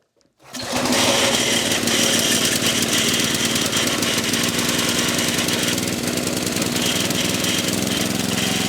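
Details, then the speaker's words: Old Briggs & Stratton 8 HP single-cylinder engine, possibly from a generator, on a dirt bike stand runs loud with a rattly, shaking clatter at static throttle, bouncing hard because it is not mounted solidly; heavy vibration while running. "not too bad bounces around like mad but uh we just don't have a mounted to anything solid enough but yeah she bucks around like a buck and Bronco"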